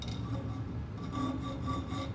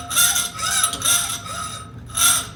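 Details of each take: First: Hacksaw cutting metal clamped far from the vise: the quiet stroke rasps with a ringing, vibrating chatter, because a workpiece held far from the vise is less rigid; cutting about half an inch from the vise gives much less vibration. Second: Hacksaw cutting through metal stock: even rasping strokes about two per second with a bright scratchy edge. The pitch drops as the remaining surface area shrinks, a sign the cut is nearly through and strokes should slow.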